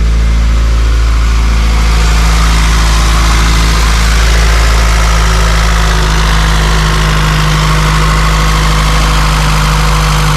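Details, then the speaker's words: Honda CRX LSVTEC idling, heard outside, after the loud DC Sport canister was replaced by a Borla exhaust: deep, smooth, steady exhaust note, no rasp or rattle, quieter than before; normal idle. "Oh, it sounds so much better on the outside for sure."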